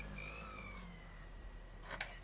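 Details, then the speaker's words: 12-inch iBook G4 laptop reading an old CD: faint thin whirring tone sliding downward in pitch, disc motor labouring; optical drive sounds like it is failing, suspected not confirmed. "it might be time to replace that optical drive sounds like it's about to give up"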